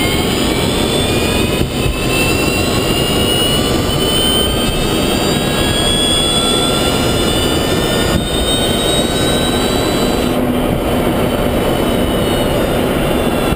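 High whining tones climb steadily with road speed over a rushing road and wind noise; a noticeable drive motor whine.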